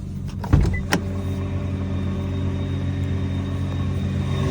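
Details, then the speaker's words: 2009 Nissan GT-R at idle, standing still: steady low drone with a faint metallic buzz, the early-year (09/10) drivetrain bellhousing rattle, prominent enough for passengers to hear. "Yeah, so it's a very prominent noise. It's not something that you're not going to hear, or a passenger's not going to hear."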